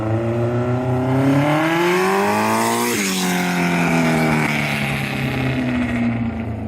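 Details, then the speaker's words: Honda CB750 fitted with a Delkevic exhaust, first fired without a silencer: a loud, raw exhaust that climbs in pitch then drops back as the revs fall, crisp and even with no misfire, a healthy open pipe. "So at this point I shall just ponder it and we'll fire it up without it and see what it sounds like. I'm sure it won't be as loud as the Ducati."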